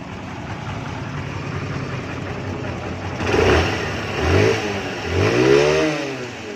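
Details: Honda CB 125 motorcycle, questioned for being noisy; small single revs cleanly off a steady idle three times, picking up and dropping back smoothly with no knock or rattle, sounds healthy.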